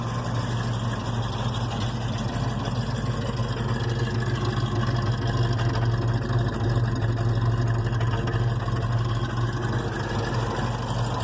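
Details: 460 V8 with a freshly rebuilt Holley 4180 carburetor at about 14 inHg vacuum: deep, lumpy, heavy low idle; running too rich with idle speed set too low, idle mixture screws not yet adjusted.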